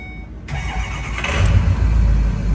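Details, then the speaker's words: Ford E450 6.0 diesel after replacing all eight injectors and oil rail parts, hard start cured by a full-throttle hard drive to bleed air: brief crank, fires almost instantly into a steady even idle; normal start. "once I did that now it starts right up I think the Ford spec is three seconds is normal cranking if you want to see here"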